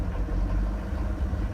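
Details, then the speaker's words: Swift Kon Tiki retro diesel motorhome, cold start after waiting about 20 seconds for the glow-plug light: low, steady diesel rumble at an even idle with no knocks or misses. Normal diesel idle; it is described as a bit grumpy in the morning. "It will go out eventually, but count to about 20 and then start it. And off she goes."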